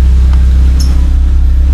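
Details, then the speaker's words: Engine idling untaxed at stationary rpm during a roughly 7-minute engine-flush run before an oil and filter change: loud, deep, blatty idle with a raw exhaust note, caused by a leak in the lower part of the muffler. "saya bocor, pemirsa, di bagian mufflernya yang bawah. Jadinya suaranya kenceng sekali."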